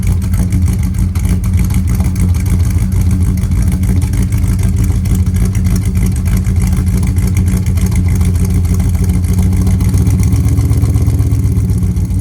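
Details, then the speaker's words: 1999 Dodge Ram 1500 with a 5.2 (318) V8 and 5-speed, recorded at the exhaust with new spark plugs. The cold idle has an uneven, stumbling beat with dropped pulses. The intermittent cold misfire of four years remains despite sensors testing good; the owner may try injectors next. "yeah it's still got that same cold Miss so I don't know maybe we try injectors next"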